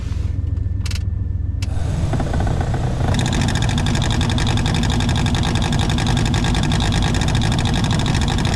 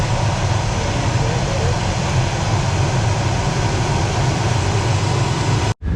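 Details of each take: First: 1995 Chevy K3500 OBS dually 454, engine idling: the cabin blower motor gives a rough, droning whir with a gritty edge that holds steady; the worn-out blower motor is about to be replaced. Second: New replacement heater blower motor just installed in a 1995 Chevy K3500 dually 454 (OBS) and tested: a steady, even whoosh with a low rumble and no ticking, scraping or wobble; it runs smoothly.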